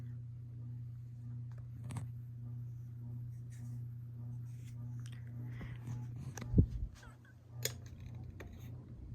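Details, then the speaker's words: 1999 Hunter Lexington ceiling fan with early Air Max motor at medium speed: steady low electrical buzz, attributed to a bad capacitor, not confirmed. "Oh wow. Just this cap is making it buzz."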